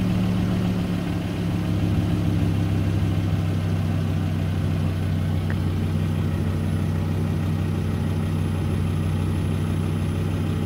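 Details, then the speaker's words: Volvo S60 (2000-2009) idling after a fuel filter replacement, checked for leaks: smooth, steady low idle with an even rumble and no misses, ticks or hunting; no leaks, normal idle. "the next step is we've got to start the car and make sure this doesn't leak as you can hear the car is running and over here no leaks there no leaks"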